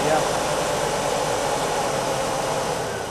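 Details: Warm classroom engine at about 2000 rpm during oil pressure check, pressure well within 40-60 psi spec: steady fast idle, even smooth whir, no ticking or knocking; healthy.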